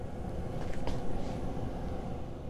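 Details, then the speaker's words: 1981 Corvette C3, ignition on, heater switched off; steady low blower fan drone keeps running in the cabin, stopping only if the fan speed resistor or relay is unplugged: blower runs with controls off. "Can you hear that? That is a fan. This is off. I left the ignition on."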